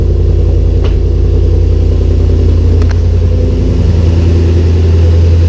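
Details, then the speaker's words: 2006 Mustang with Coyote V8 swap and T56 reinstalled: deep, steady rumble with even firing and no knocks or misses; healthy idle, possible exhaust leak suspected, slight burning smell. "Checking my connections. Probably have exhaust leak somewhere. I'm sure I'll find it afterwards. For now, sounds good in there."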